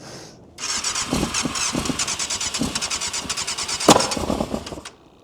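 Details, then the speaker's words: 1998 Yamaha YZF600R Thundercat, sat since 2013, has compression and spark: irregular pops and sputters during cranking on sprayed brake cleaner, never catching into a steady run; carbs suspected to need full rebuild. "And then get it popping on some brake clean. Don't try this at home."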